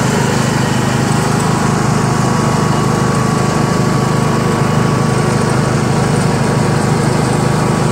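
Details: Yard Machines MTD lawn tractor, 20HP Briggs single-cylinder OHV, CVT, test ride after magneto bypass and deck repair: steady, even drone holding constant speed under load, no misses, knocks or surging; running smoothly.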